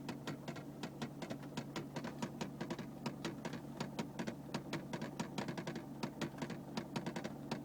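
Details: Ticking noise from the dashboard of a 2001 Mercedes-Benz C220 CDI diesel for about a minute after every start: rapid irregular clicks over a steady low diesel hum.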